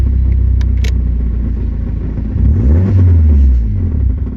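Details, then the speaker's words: Turbo Nissan 240SX with a homemade shop-vac intake: after a rev, rpm falls straight through idle and the engine dies. Owner suspected MAF, idle air control valve, timing or throttle position sensor. "it just doesn't catch idle again and it dies. So I'm thinking the things I'm going to check are probably my MAF, my idle air control valve, my timing, and the throttle position sensor."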